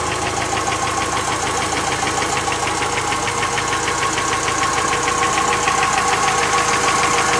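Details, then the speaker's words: Chery Amulet engine at idle: a sharp, even tick about three per second over a steady idle. Mechanic suspects a hydraulic lifter and plans to replace it; the knock was cured elsewhere by fitting new lifters squeezed out before installing. "Я думаю, это гидрокомпенсатор. Будем менять гидрокомпенсатор."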